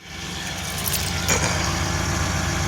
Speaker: it sounds like it's running healthy now running pretty smooth